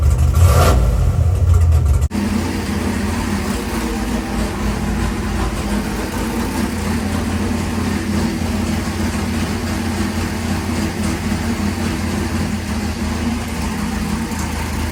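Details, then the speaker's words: Chevrolet Monte Carlo big block V8 on E85 with ATM Dominator carburetor, first start after build before turbo kit: settles into steady even idle with deep rumble; no smoke, good oil pressure, no knocks or rattles; healthy. "Sounds pretty good. It does. No smoke. No smoke. Good oil pressure. No rattles, no knocks."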